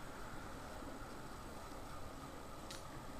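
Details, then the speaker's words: Mid-1990s 56-inch Canarm industrial ceiling fan, well used, coasting down after running at highest speed (about 300 RPM): steady rough rumble and whir from worn, noisy bearings; slowdown time still good. "and as you can hear the bearings aren't the really the best cuz uh have quite a loud noise to them"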